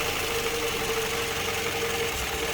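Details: Toyota Harrier with fluctuating rpm and vibration at cold-morning warm-up: uneven idle with a steady thin whine. Unplugging one ignition coil barely changed the vibration, pointing to a faulty coil causing the misfire.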